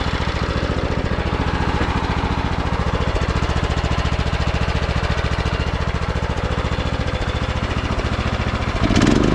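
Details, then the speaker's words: Craftsman T1200 riding mower rescued from scrap, oil topped off: steady, even single-cylinder beat at constant speed, no misses, knocks or rattles; runs smoothly. "let's Crank It Up let you guys hear it runs super smooth now"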